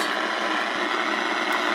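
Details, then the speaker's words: Early-1980s GE AM/FM clock radio on the AM band: a steady harsh static hiss with faint buzz and no station, electrical noise from a nearby laptop's aftermarket switching power adapter. "with my laptop and my aftermarket power adapter that thing um i don't even know who it's made by it's uh picking up a lot of uh it's generating a lot of uh electrical noise"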